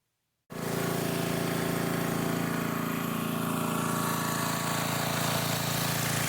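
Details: Old junk-pile generator small engine after carburetor replacement and cleaning/refitting the gas cap gasket, gas still leaking slightly: settles straight into steady even chug about four beats a second, no hunting or surging; normal running.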